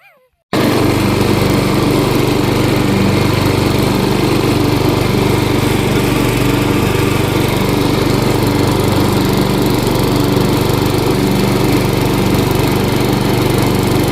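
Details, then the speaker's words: 12 HP Briggs & Stratton flathead after sump and PCV gasket repair, choke off at idle, then full throttle: steady, even single-cylinder beat with no misses or surging. Not leaking; normal running. "Choke off. That's idle. Go back up. Yep. Way full throttle. There it goes. Cool. Good."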